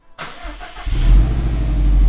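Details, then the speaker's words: Rebuilt Series Grey Subaru STI, first cold start after rebuild: brief crank, then catches and flares into a strong, even, deep idle with no knocks; quiet, healthy cold start. "so quiet well that's it nothing is a good thing"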